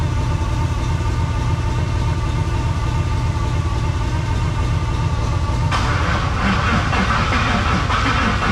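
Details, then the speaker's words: LS-swapped Trans Am after long sitting, fuel wire just hooked up: steady starter cranking, engine never fires because the ignition power wire was not connected; fixed by connecting it. "Probably. It turns out the wire that I needed power to the ignition, I didn't hook up."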